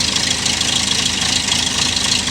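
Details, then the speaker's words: Chevrolet Malibu with P0016/P0017 cam/crank correlation codes, running on a cold, snowy day. Rough, ragged, unhappy idle that sounds worse outside by the engine. Jumped timing chain. "first thing i notice is this thing does not sound happy it sounds even worse when you're outside by the engine"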